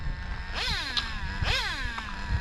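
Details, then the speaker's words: Traxxas Slayer Pro 3.3 nitro RC car, last run before restoration with the servos now on lipo power: engine revs with rising and falling whine and sharp rattling bursts as power comes on, a drivetrain gear stripping under load. "Yep, that's the sound of a gear stripping. Not a good day for nitros."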